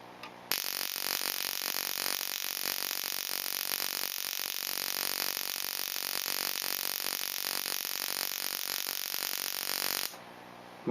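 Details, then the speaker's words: Ignition coil on a Solénotest bench tester, set to 4: ten seconds of even, unbroken crackling spark train with no gaps or dropouts, meaning the coil fires consistently and appears good. "vous l'avez entendu, le train est constant, j'ai pas l'impression qu'il y ait des ratés, donc ça veut dire que c'est une bobine qui semble fonctionner correctement."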